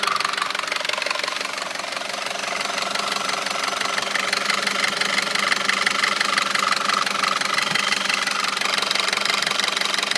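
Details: 2009 Audi A4 2.0T, 82,000 miles, idle: sharp regular knock about three per second, loudest near the PCV; dealer found metal flakes around cam lobes and recommended a new engine; sluggish pulling from a stop; sludge suspected by owner.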